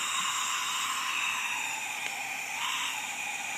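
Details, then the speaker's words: Acura Integra B18B1 engine, cylinder leak-down test on cylinder 3 at top dead center, engine not running: steady airy hiss of air escaping through the exhaust; even more leakage than cylinder 1, exhaust valve not sealing. "this cylinder has even more leakage you can clearly hear the air escape"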